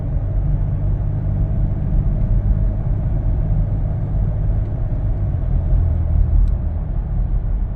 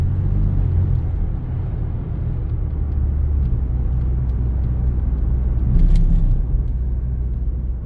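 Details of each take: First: 2015 Lincoln Navigator, 3.5 L twin-turbo EcoBoost, 6R80 transmission, after Lubegard Instant Shudder Fixx, driving uphill under light load: smooth deep road rumble, no pulsing or judder; torque converter shudder gone. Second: 2015 Lincoln Navigator 3.5L twin-turbo EcoBoost, 6R80 transmission, cruising under light load: deep rumble swelling and fading like rumble strips, driveline shudder vibrating the mirror; transmission shudder suspected, not confirmed.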